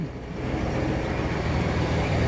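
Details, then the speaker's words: GM 4.3 V6 from a 1991 GMC Sonoma after swapping from a badly running TBI fuel injection to a carburetor: steady, even low rumble with no knocks, misses or surging; idles smoothly and runs great. "I'll start it up for you that way you can hear it that door is noisy the other runs great"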